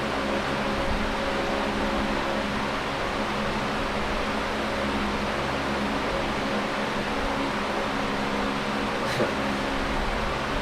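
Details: Late-1970s Canadian Super 16-inch oscillating fan, before restoration and servicing, on high speed: even steady rushing air with low motor hum, no knocks or scraping; normal healthy running.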